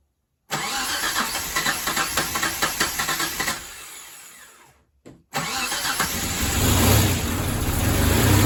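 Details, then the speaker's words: Engine in a 1989 Mitsubishi Montero (Gen 1), first start after install with a new clutch, distributor just moved. Cranks, catches, stumbles near stalling, then runs unevenly; rough running, owner suspects distributor timing. "We got it to run! Not well, but we got it to run. So we got to mess with this distributor some more. I think it's just a timing issue."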